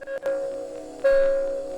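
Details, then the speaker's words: 2023 Kia Sportage Hybrid reverse warning speaker covered with thick rubberized tape: two clear, steady mid-pitched beeps with a ringing tail, only slightly quieter and still too loud. Reverse beep only muffled a little. "Well, it has muted it down. It is quieter than it was. Not by much, though. It's still way too loud."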